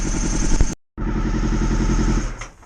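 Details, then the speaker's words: Honda VFR400R at a steady fast idle after reviving; even firing pulses, no misfire, all four cylinders firing after the rear plugs were cleaned and fuel was dripped in. "it appears to be running on all Flor I've cleaned the two back plugs they were good but I just dripped some fuel down it's fired straight up so whether it just needed a bit of assy stance cuz it's definitely running on all four"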